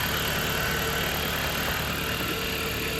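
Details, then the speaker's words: 2019 Dodge Journey idling after alternator and serpentine belt replacement, letting the battery charge; charging system read 14 volts. Even, steady idle with no knocks, squeals or belt chirp; normal idle. "Got the vehicle running. Let the battery charge up a little bit."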